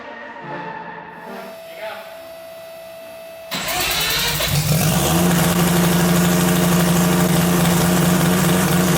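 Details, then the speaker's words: Three-rotor Mazda RX7 FC drift car, first start after a new turbo and other changes, after sitting a long time; catches on the first try and settles into a loud, choppy but even idle with a steady low drone, healthy. "holy crap that's wild it sounds even crazier than before"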